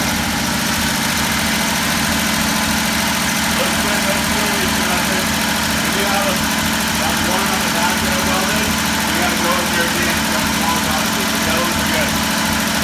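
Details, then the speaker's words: Old Jeep J-truck just started after fitting a remanufactured carburetor: steady, even fast idle on the choke while waiting for it to kick off on its own, with no knocks or misses; healthy. "we're going to let it run long enough to make sure that the choke kicks off on its own okay"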